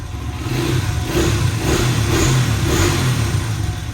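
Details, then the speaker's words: 2008 Honda CRF 100cc dirt bike, stock exhaust before FMF exhaust and intake install, revving: quick clean blips, slightly louder than the 70 but still quiet; healthy, responsive. "You can see it's a little louder than the 70, but it's still nice and quiet."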